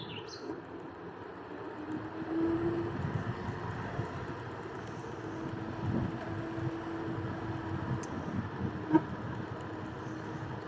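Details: Segway GT3 Pro under 150 km, at constant speed: faint mid-pitched rubbing hum from the rear hub motor, coming and going; screws, rear wheel and brake caliper checked normal, owner suspects internal rub, with vibrations and limited performance.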